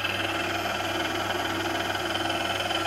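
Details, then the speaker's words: Haas VF1 spindle gearbox in low gear at about 1200 rpm after gears were removed and polished: steady whirring gear mesh tones still ride over the drive, but noticeably quieter than before. "but I'd say that that is definitely quieter than it was before which is good because that gearbox is not going to be changed again"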